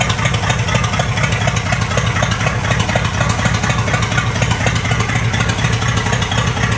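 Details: 1959 Cadillac Eldorado Seville V8 with three two-barrel carbs, first start after priming the carb: deep idle with an uneven, loping beat and faint clatter on top. It runs rough on this first start-up, cause unknown, and later smooths out.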